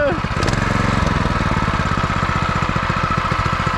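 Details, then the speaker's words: New 2021 Harbor Freight Predator 212cc 6.5hp OHV horizontal-shaft four-stroke, first start after adding oil: catches after brief crank and settles into quick, even putter without misses or knocks; healthy normal running. "that thing is awesome dude look at that yo this thing got power you can hear it oh yeah this is nice dude"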